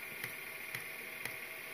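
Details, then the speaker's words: Chinese diesel heater being fitted in a campervan conversion, initial priming: crisp, regular ticks about twice a second as the dosing pump pushes diesel and bubbles through the fuel line, pump working normally. "Right, so that pumping noise you can hear, that's the priming."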